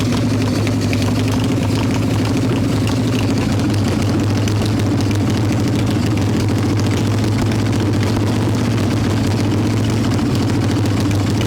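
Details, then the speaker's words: 1995 Harley-Davidson Evo Softail, first start after rebuild, engine hot: loud, uneven low idle that surges and hunts without settling; owner suspects intake air leaks, janky carb idle screw, possibly ignition issues; carb to be pulled again. "So that's loud and obnoxious, but it definitely sounds like we got some air leaks to address on those intakes, unfortunately. It starts, it kind of idles."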